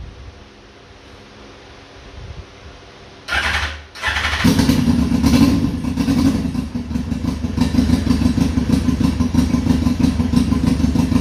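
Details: 2002 Yamaha Fazer 1000cc four-cylinder motorcycle, cold start after sitting over two months, carburetor cleaned: starter cranks, catches after a stumble, then settles to a steady, even idle; all four cylinders working.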